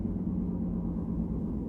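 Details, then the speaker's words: 1999 Ford V10 4x4 truck just after the bad battery cables were replaced with new extensions and connectors: deep, steady, even idle rumble with no miss, knock or stumble, running smoothly and healthy. "okay okay I think the problem has been solved She's a Beauty come on now"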